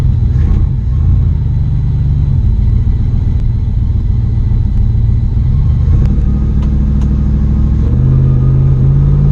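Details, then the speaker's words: 1965 Mustang 289 V8, carbureted, driving under load: deep rumble with uneven, lumpy beat and occasional skip; rough running, suspected vacuum leak at intake or carburetor base gasket. "That that rough running, it has a little bit of a skip to it. goes right away, which kind of lends me to believe it's a probably got a vacuum leak somewhere."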